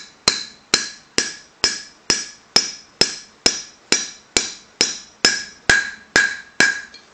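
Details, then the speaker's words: Outer wheel bearing race being hammered in on a 1997 Volkswagen Cabrio hub, race chilled in the freezer first: about fourteen sharp blows, roughly two a second, ringing clean and solid, meaning the race is fully seated. "so we have that nice solid sound and of course you'll probably want to go back and just just check the rims make sure everything is fully seated nice and even"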